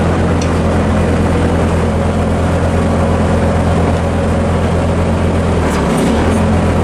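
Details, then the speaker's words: Bobcat 763 C-series Hi-Flo skid steer after BICS bypass for no lift/tilt: steady deep diesel drone at constant speed with no bogging or labouring; running freely without hydraulic load. "I want you to listen for the bogging of the engine on the auxiliary controls. You don't hear anything."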